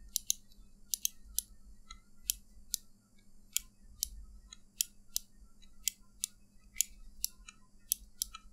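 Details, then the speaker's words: Glorious Model D mouse clicking about twice a second with a hollow, slightly squeaky, mushy sound on bottoming out from button post travel; fix is a thin foam pad filling the hole. "alright so glorious morality makes a squeaky sound or mushy feeling when bottoming out so you can feel the"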